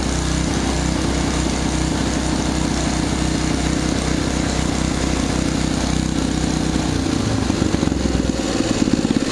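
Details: Old, little-used Simplicity snowblower started with the key on: small single-cylinder engine runs at a steady, even pace with a smooth putter and no knocks or misses; sounds healthy.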